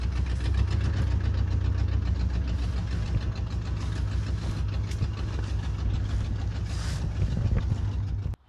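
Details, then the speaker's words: 1986 Mercury Grand Marquis Colony Park wagon idling: loud raw uneven low rumble with puffing chuff; exhaust leak, short pipe missing between left downpipe from exhaust manifold and Y-pipe. "it is a little bit louder because part of the exhaust is actually missing from the left side where it comes off of the exhaust manifold to the y-pipe"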